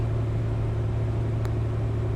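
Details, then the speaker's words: 1966 Corvair Turbo air-cooled six with Mikuni carb, basically cold start in shop, alternator a little over 14 V: low, steady, even hum with no misses or knocks. "Let's see if she'll idle on her own now. Look at that, right on 1000."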